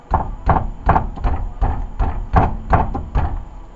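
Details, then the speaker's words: Lexus ES300, worn rear trailing arm/rod joint, play on both sides: hollow clunks, about eight in four seconds, as the part is tugged by hand. This is the rear rattle heard on the road; the struts were already replaced. "anyway, this joint up in here is worn out, and you can hear it rattle when bumping the tire. That's what he was hearing coming down the road."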